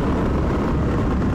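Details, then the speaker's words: Suzuki DRZ400 riding after refitting a knockoff Mikuni carburetor and leaning the air screw, previously running rich: loud, raw single-cylinder bark, steady and clean; worn muffler needs replacing, engine runs well. "Needs a new muffler, but it actually runs amazing."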